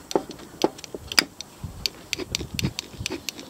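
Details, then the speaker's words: Stihl FS460 brushcutter angle gearhead, rebuilt twice in 2023 and helicoiled, turned by hand: irregular sharp clicks and rattly ticks, very noisy. Noisy worn angle gearbox. "hear that? It's very noisy indeed."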